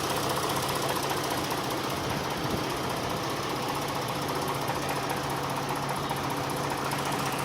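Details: V6 engine at steady idle with a loose, slightly irregular tapping two to three times a second over the engine hum; internal knock of unknown origin.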